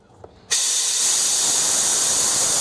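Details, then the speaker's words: Big truck fuel system, tank cap off: steady loud hiss of compressed air blown through the fuel line, air coming out at the tank, then fuel heard coming in; debris chunk found in the fuel tank. "I got air coming out. Okay. Now I hear it coming in, the fuel."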